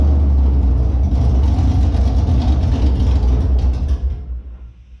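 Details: Holden Monaro engine on first start after reassembly with a new Crower cam (217/226, 114), open headers not joined to the exhaust; loud, deep lumpy idle loping about three times a second with rev blips, then dies away; normal cammed idle.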